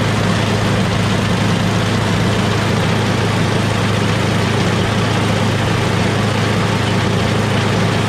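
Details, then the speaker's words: MTD Yardman 8.5HP 26-inch two-stage snowblower after carburetor clean (pilot jet, bowl, emulsion tube): steady even low drone at idle, no hunting or surging; earlier surging was fixed by cleaning the carburetor. "That's idle. That sounds really good. So obviously that's what it was. Pilot jet need to be clean."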